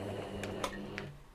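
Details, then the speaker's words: Sewing machine being serviced, running a zigzag stitch; steady motor hum with a few uneven clicks and light knocks through the stitch cycle; sounds a bit off, rough running, cause not identified. "now for me listening to this it does sound that's it it does sound a bit off"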